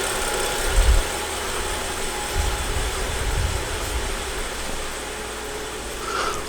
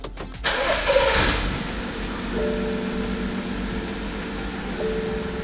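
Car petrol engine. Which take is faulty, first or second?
second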